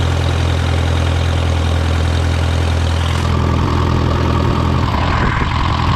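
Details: Case VAC tractor after an aftermarket water pump was fitted, warming up with the gauge at about 30–35°C and coolant flowing; it had earlier overheated to 80° after a coolant change. A deep, steady, even low rumble with no knocks or misses: a normal idle.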